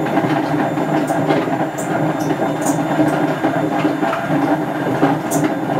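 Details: Hotpoint First Edition FEW12 washing machine, left outdoors for months: a harsh rough roar through the spin with scattered rattling clicks. The drum bearings are badly worn.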